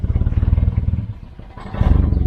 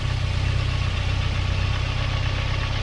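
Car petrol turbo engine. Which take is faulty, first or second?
first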